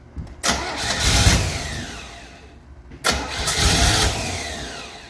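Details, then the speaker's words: 1968 Camaro, 327 V8 with a 4-speed, swapped-on Holley carb, mechanical fuel pump, battery running down. Two cranking bursts turn over but never catch; no start because the front float bowl is empty and no gas is reaching the carb. "There's nothing in the front bowl. Might not even have No, there's not gas going in. That's why it's not firing up."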